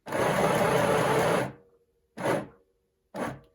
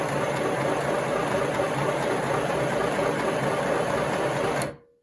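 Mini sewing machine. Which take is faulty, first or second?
first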